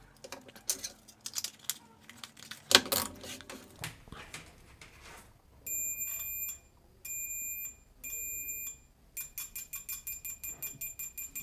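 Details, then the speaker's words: DT830D multimeter in continuity mode after removing the 100 nF capacitor next to the 1 megohm resistor that caused a delayed buzzer: after some handling clatter, each probe touch now gives an instant high beep, with repeated short bursts and no delay. "यानी अब आवाज ठीक आ रही है कोई buzzer में delay नहीं है"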